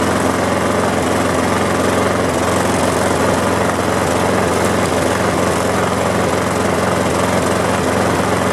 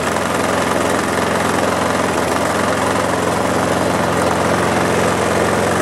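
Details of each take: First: Lawn mower engine just after the air cleaner was cleaned and refitted: a slow, slightly lumpy idle with an uneven beat. The governor spring tab is bent back, so the idle sits too low; the fix is bending the tab back out. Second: Mower engine running after its carburetor was cleaned to fix a carburetor problem, with a steady, even buzz and no misses, surging or knocks. Normal running.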